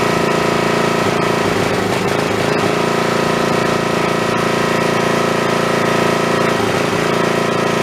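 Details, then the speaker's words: Snapper 3081 riding mower that died suddenly mid-mow, fitted with a known-good plug from a snowblower: loud but uneven running with stumbles, misfires and backfires. Owner suspects a failing coil/magneto. Misfire. "well that don't sound that good uh that sounds to me like that I took that spark plug out of my snowblower and it was running fine tonight last time I ran that so I'm gonna say that probably that coil is going bad that magnetron unit's bad has never ever misfired and backfired like that"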